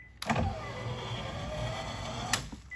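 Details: 2013 Nissan Leaf, over 160,000 miles, driver side power window rising: about two seconds of motor whir with a rough, gritty scrape, then a clunk at the stop; regulator grinding, suspected loose bolts or dry tracks and cables.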